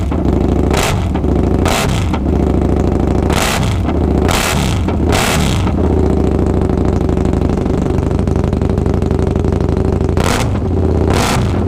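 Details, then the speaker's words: Husqvarna Nuda 900 motorcycle with suspected exhaust leak through small holes: sharp crackling bursts on each throttle blip over a rough chuffing idle; abnormal exhaust sound, leak not confirmed. "oké om bingo dat is een lek denk ik kleine gaatjes hier maar dat het zo'n verschil maakt qua geluid dat verbazen als dat het is"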